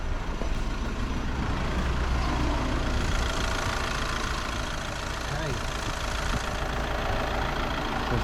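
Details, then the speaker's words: 2015 VW Crafter 2.0 TDI camper van idling right after Wynn's turbo cleaner was put through the intake; even diesel clatter, steady rhythm, a slight turbo whistle, no stumbles or misses, smooth normal idle. "sounding nice and smooth"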